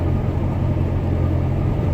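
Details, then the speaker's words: 1993 Ford Escape, still stumbling while pulling into the driveway: low uneven rumble with a lumpy beat as it drops cylinder #3 from a failed ignition coil; code reader next. "it's still stumbling as I'm pulling into the dry your I'd put the reader on"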